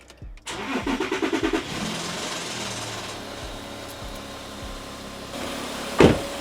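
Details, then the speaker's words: VW 3.0 TDI start-up after fuel pressure relief valve replacement: slightly long crank, catch, then brief metallic timing chain rattle before idle. The engine lacks the updated chain tensioners. "Yes, and I know that I do have some lovely 3-liter TDI chain rattle. That is just because this motor doesn't have the updated chain tensioners yet"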